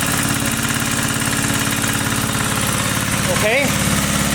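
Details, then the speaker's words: 1980 power tiller (rotovator) with Briggs and Stratton single-cylinder engine, after restoring spark: steady, even putter with no clacking or misses; runs fine, carburetor cleaning may not be needed. "maybe we will not be cleaning a carburetor after all it seems to be running it's just fine"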